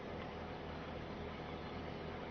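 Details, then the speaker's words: Used Toyota Avanza, engine still cold, AC switched on at about 1,000 rpm, idle should rise under AC load; steady, even low hum with no misses, knocks or hunting; normal idle with AC on. "Hal itu terjadi karena adanya beban pada mesin. Jadi, RPM seharusnya lebih tinggi daripada saat AC mati, dan periksa apakah AC masih mengeluarkan udara"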